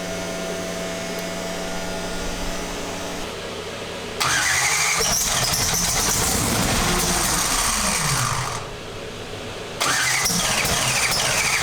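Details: Twin-turbo big-block Pro Mod drag car after 2.5 years sitting and engine/chassis changes: long bursts of fast starter cranking, about three beats a second, never catching; fired right up only after switching to the other of its two injector sets.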